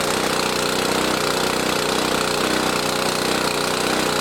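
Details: Lawn mower engine in fuel additive test, sat two months on stored fuel, started on choke after eight or nine pulls: steady, even chatter with no stumbling or surging, running cleanly with choke already off.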